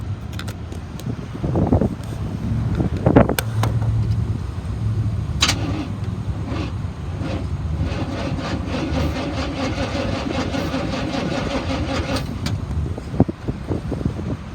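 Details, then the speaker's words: 1989 Chevy Cheyenne 3500 utility truck, 5.7 L V8, odometer 1,168 (likely rolled over, ~101,000 miles), on jump box: starter cranks engine steadily but it never catches—distributor cap dismantled, spark plug wires missing; cranking, no start. "i don't expect it to turn on the distributor and the spark plug wires are disconnected but i did want to show you that the motor turns over"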